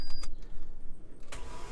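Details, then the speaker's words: Opel Astra GSi Z20LET rebuilt engine, no spark plugs fitted, after repairing the starter motor; brief, even whirr turning over freely with no grinding or clunks, normal cranking. "so you can hear a nice sea that's turning over it's got no spark plugs in it"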